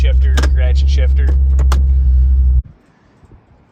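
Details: Customer's Vortex-supercharged Mustang V8, just after an engine oil change (Royal Purple 520) and supercharger oil refill: deep, steady, even rumble with no knocks, ticks or supercharger whine before shutoff. Healthy running.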